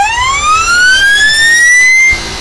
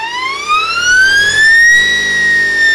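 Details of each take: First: Electric motor on a beta-test speed controller, compared against a Kelly controller: holding the throttle open does nothing, but on release a loud whine sweeps upward for about two seconds and the motor fires up and keeps racing; runaway after throttle release. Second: Motor spin-up on a 72V supply with a 144V 800A Kelly-compared speed controller being beta tested, PB6 throttle: clean whine climbing smoothly for about two seconds then holding steady, no roughness; motor spins up properly with good power.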